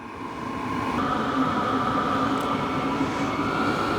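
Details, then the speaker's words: HCALORY Toolbox diesel heater for a Ford F-350 camper, on its first start after priming and cranked up to 10 (maximum). Steady blower rush with a constant mid hum that steps up slightly in pitch, somewhat loud, running normally. "I don't know if you guys can hear it. It definitely is kind of a little loud."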